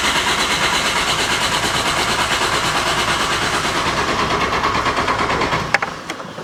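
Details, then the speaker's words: VW Corrado G60 supercharged, jump-start ready, key on then cranking: strong, even cranking about three turns a second for several seconds, no firing; crank no start, fuel pump not heard so owner suspects fuel pump. "So, it cranks 100% cranks. That's me battery going out. But I don't know. I can't hear. I can't hear that fuel pump. So, I'm going to guess that is where our problems lie."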